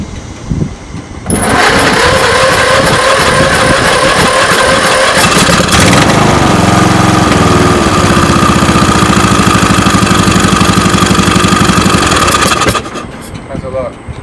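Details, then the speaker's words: Briggs & Stratton Vanguard single-cylinder riding mower engine, possibly 3300 series, after a push rod replacement and valve lash adjustment, running with the valve cover off: catches quickly and settles into an even, smooth idle with no valve-train ticking. "good ticking and tacking it didn't sound that much to me no wasn't ticking and tacking was nothing ticking and tacking"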